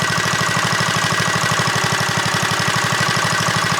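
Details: Small single-cylinder minibike engine (JCPenney Bird minibike) after rebuild, choke applied, chugging at a fast, even beat of about three firings a second with no misses or knocks. Normal running.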